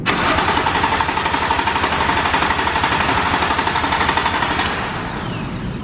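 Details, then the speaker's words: Crank attempt with key turned and button pressed to bypass immobilizer: steady starter cranking about four turns a second, no firing, winding down; crank no-start. "because for some reason it is not starting no matter what we tried"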